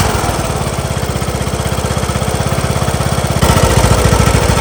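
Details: John Deere LA115 lawn tractor with a 19.5 hp Briggs & Stratton single, after confirming spark and fitting a new plug: lumpy, uneven chugging with a surge; dies at idle and smokes. Owner suspects a bad needle flooding the carb and running rich.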